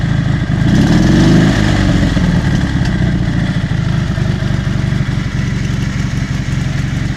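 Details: Dnepr MT-11 solo motorcycle, test start after repairing BSZ electronic ignition and rewiring, carburettors not yet adjusted: low, even twin-cylinder putter at idle with a brief early blip, no misses or knocks; running normally.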